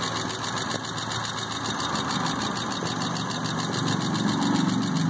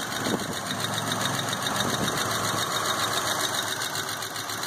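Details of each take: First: Car just started after fuel pump troubleshooting, cold and not run for a long time: light, quick top-end ticking about four a second at idle; lifter tick that quieted down greatly once it warmed up. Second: Car just restarted after fuel pump troubleshooting, warming up: petrol engine idles steadily and smoothly, earlier lifter ticking has quieted down tremendously; sounds great.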